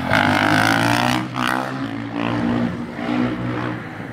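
Motorcycle engine revving with a coarse, uneven drone that swells and falls with the throttle; the source of the noise isn't clear.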